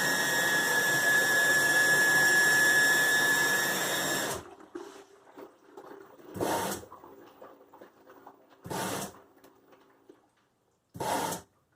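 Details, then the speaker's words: Nine-year-old LG washer, top off: steady high-pitched squeal over rushing fill water once continuous filling starts, from the cold water inlet valve; valve then replaced. "so that part sounds normal but once it starts filling up continuously that's when it starts right there there's that high-pitched"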